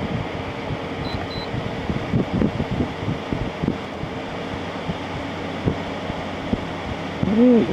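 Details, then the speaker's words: LG ThinQ 10000 BTU air conditioner after a capacitor replacement, fan on low: soft steady whir, evenly running, no rubbing or rattle, not as quiet as an older LG. Normal fan running on low. "not not quite as quiet as that other big LG I had that older one that one is really quiet on low this one's not quite as quiet"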